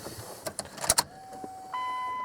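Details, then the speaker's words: 1998 Dodge Ram 1500, key-on after shift handle replacement and dash cover reinstall: a few clicks, then a steady high electric hum holds evenly; fuel pump priming normally. "Well, fuel pump sounds happy. There we go."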